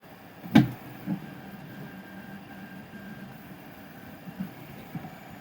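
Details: SL1S resin 3D printer with one loud bang then a softer knock over a quiet hum: on some layers the tilt mechanism struggles with its movement, cause unclear.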